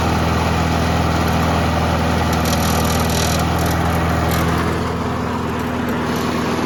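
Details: Old Briggs & Stratton mower after carburetor diaphragm replacement: steady single-cylinder drone with loose uneven metallic rattle; a loose piece at the front is hitting the blade, not the pull start.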